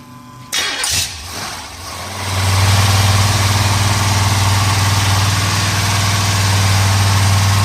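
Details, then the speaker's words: 1970 Pontiac Trans Am Ram Air III, 469ci stroker on pump gas: ported Edelbrock aluminum heads, Lunati hydraulic roller cam (231/239, 110 LSA), 10.5:1 compression, freshly built. It cranks and catches, then settles to a loud, lumpy but regular choppy idle with quiet lifters. Normal idle. "Got a nice little idle to it. This is actually a little bit smaller camshaft than we like to use for this cubic inch, but it sounds good, and the throttle response on this thing is crazy."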